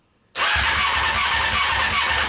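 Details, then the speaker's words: Honda CBR600 engine, cranking: rapid steady starter cranking with no firing; spark is intermittent, only sparking now and again, suspected electrical fault. "so we just found out that it is sparking but it's not sparking all the time it'll spark every now and again which is kind of really weird"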